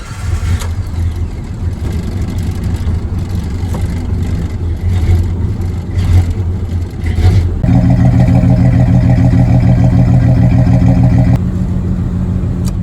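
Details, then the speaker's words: Jeep Comanche 4.0L RENIX, cold morning start after idle fix (target idle set, then IAC pulled): uneven hunting idle for several seconds before settling smoother. "It's the next morning, it's cold outside. It definitely has a harder time catching the idle when it's going in the beginning."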